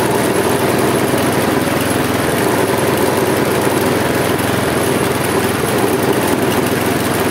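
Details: Husqvarna J55S mower with Briggs & Stratton 650 engine, older worn engine, restarted after failing, throttle held open with string: runs roughly with uneven lumpy rhythm, jerking the handles, puffing black smoke; cause suspected, not confirmed.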